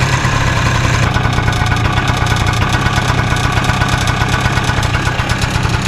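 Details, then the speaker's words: 2000 Peugeot Elyseo 100, low-mileage 100cc air-cooled single-cylinder two-stroke scooter, just bought and due a full service: buzzy idle and throttle blip with a thin tinny metallic rattle over the firing beat; owner initially suspected a baffle, source unconfirmed. "Now you may have heard that sort of tinny rattling sound, which I initially thought could be a baffle"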